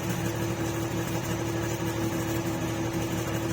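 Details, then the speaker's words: Chery QQ 308 three-cylinder running a 4-hole injector (before returning to stock 2-hole), heard at the tailpipe; owner felt it ran poorly and planned a tune-up. Low burble with a slightly irregular beat at idle, no popping: uneven idle, cause unclear. "Di man siya puputok-putok pero iba yung minor niya."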